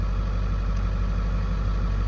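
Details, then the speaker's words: 7.3 Powerstroke diesel, sat about 4 years, first start: even, steady low diesel idle, no misses or knocks, great oil pressure; healthy idle. "y'all fired right over two B been sitting for about 4 years and she's making great oil pressure"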